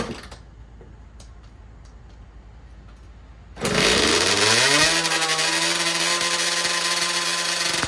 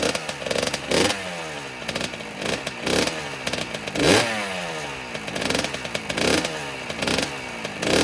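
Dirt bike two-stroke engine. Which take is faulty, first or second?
first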